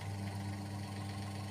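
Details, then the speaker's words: Washing machine spin-dryer motor running after its water-damaged, broken winding was spliced, in a temporary, unwrapped test. Strong, steady low hum with no rattle, scrape or speed wobble; it spins too hard to hold by hand. "sangat kencang, kita tahan, nggak ketahan ya. Keras sekali, nggak ketahan."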